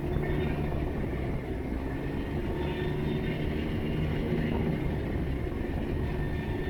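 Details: Can-Am Ryker after airbox rattle fix (airbox halves re-seated, high-density rubber foam weatherstrip added): steady, even engine drone under road and wind noise, no loose panel buzzing at low revs, where the rattle was worst before; normal ride, no rattle.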